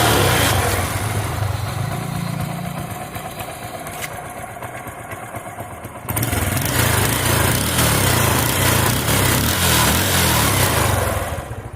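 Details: Bajaj Pulsar LS 135 single-cylinder motorcycle idling: sharp, rapid puffing chuff on each firing from an exhaust leak at the manifold joint, possibly rust-related.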